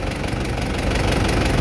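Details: Isuzu 4JA1 diesel after a DIY fix for hard starting: steady diesel clatter at idle with an even rhythm, no misfire or hunting; it now starts and runs properly, normal idle.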